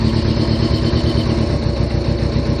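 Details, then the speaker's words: Kawasaki Voyager XII motorcycle running after a long sit, on fresh gas with Sea Foam added, which may cause some smoke. Steady, even idle with regular low exhaust pulses and no misses or knocks, smooth like a sewing machine. Normal idle. "but not a bad bike everything is smooth it's like it's like [ __ ] sewing machine"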